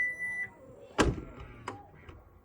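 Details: Changan Uni-V tailgate closing after its rubber stops were unscrewed out to four threads to cure slamming: brief high chime, one solid thud, then a lighter settling knock. Closing sounds normal.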